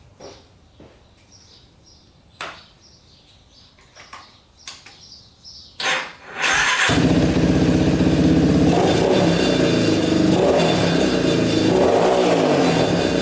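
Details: Yamaha Warrior 350 quad single after carb cleaning and idle adjustment: runs at about four pulses a second then sags, wavers and bogs; running rich, pipe blockage suspected, unconfirmed.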